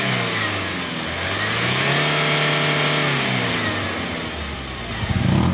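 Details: Kia K2500 after repair of a hard start with white smoke: engine catches and revs smoothly, pitch rising and falling evenly with throttle, no misfire; normal start and run.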